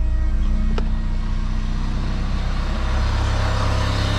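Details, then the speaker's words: Honda B18C1 GSR engine swapped into an AWD CRX, on its first start with no coolant so run only briefly; it gives a smooth, even low idle with no ticking and no leaks, and is super quiet. "it sounds freaking awesome no ticking noise no leaks super quiet we don't have coolant in it so i'm not going to run it for too long but yo the engine sounds freaking amazing"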